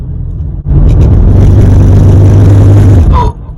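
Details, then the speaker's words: Porsche Cayenne 955 (2002-2006) before repair: prop shaft guibo fouled, excessive movement, loud heavy droning rumble underneath, vibrating everywhere, like a plane taking off; prop shaft replacement planned. "Porsche Cayenne 955 prop shaft Weibo have fouled, and it's making a very nasty noise underneath the car, vibrating everywhere."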